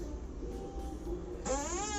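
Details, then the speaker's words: Chigo refrigerator door: a drawn-out creaking squeal rising in pitch as the door swings, from a rusted, dry hinge. Fix is removing the door, derusting the hinge with pliers and adding oil. "它就是这里啊生锈了之后，这里就容易出现这种声音。"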